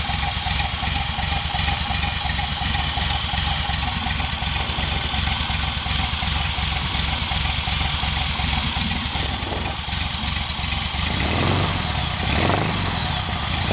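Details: VW engine idling on a rigged temporary petrol tank, with a leaking fuel pump: an uneven, deep woofing knock about three times a second over the idle. The cause is unknown and the engine must come out again.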